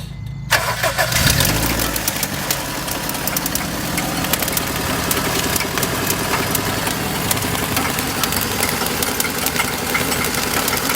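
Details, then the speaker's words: 2001 Honda Civic 1.7 L making weird noises, owner first suspected catalytic converter: cranks and catches, then busy idle with rough chattery edge; later traced to power steering/alternator drive belts. "this car is making some weird noises today we will diagnose and fix the problem and uh i'm thinking maybe catalytic converter but let's hear it"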